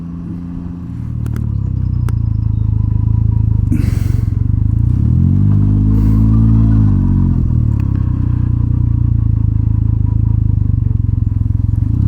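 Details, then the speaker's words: Can-Am Ryker just back from its 12,000-mile service, fuel pump replaced: over a loud rumbling idle a whine rises then falls for about two seconds as the drive takes up, like a turbo spooling; owner wonders if it's a belt breaking in, unconfirmed. "all right do you hear that right there H who knows maybe it's just a belt breaking in you know you're going to ask me to remember like what this bike sounded like 12,000 miles ago"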